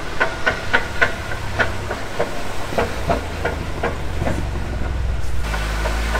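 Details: Jeep jacked up on stands with wheels spun after the noise began on arrival in Utah; sharp metallic clacks about three a second over a low drone, from broken gears knocking in the differential.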